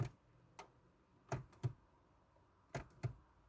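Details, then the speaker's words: 2009 Ford Kuga with code U0100 lost communication, no crank no start: single sharp clicks at irregular intervals when power button pressed, dash lights flashing, starter not engaging. "you see when you crank it, you see how all those lights are flashing on the board."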